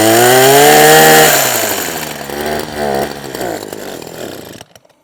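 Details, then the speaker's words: Husqvarna 123HD60 hedge trimmer, unused for a long time: loud buzzing rev that sags, hunts unevenly and dies; suspected faulty carburettor diaphragm starving it of fuel. "Okay, diaphragm, I think."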